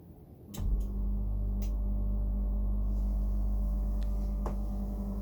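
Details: Brand-new Dometic Freshjet 3200 air conditioner at start-up and running: heavy, loud low hum and steady drone; compressor and unit much noisier than normal operation.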